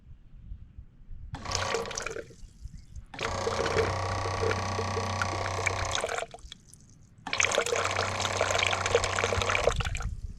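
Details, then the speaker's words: Methanol injection system's small electric pump, run directly off a battery to prime, purge and check for leaks: two short, even, steady buzzing bursts as water rushes through. It primes normally, with no leaks seen. "i just want to i want to prime this pump make sure uh everything works i've got a battery here i can just go ahead and direct uh charge it and i'll make i'm gonna check for leaks so let's see if this will this will prime and purge"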